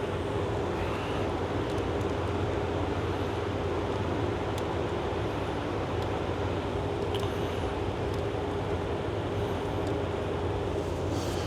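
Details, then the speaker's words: Old 12-valve Cummins diesel, stored almost a decade, first start after freeing a seized fuel solenoid: even, steady clatter at idle with no stumbles or knocks, not much blow-by; runs pretty nice. Normal diesel idle. "I don't know runs pretty nice doesn't have real bad Bob by either"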